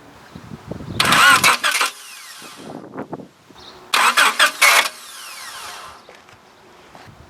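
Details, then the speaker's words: Honda Accord with electrical no-start fault, starter tested directly: two strong, even one-second cranking bursts with steady whirr, no grinding or clicking; proves the starter motor itself is good. "ça ça me prouve que le démarreur il est bon"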